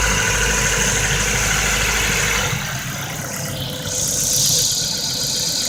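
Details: 2008 Ford Focus 1.6 automatic, 110,000 km, held at about 1,500 rpm: sharp rapid tapping about three times a second over the engine; likely worn piston pins, needing engine overhaul (pistons and pins, possibly boring).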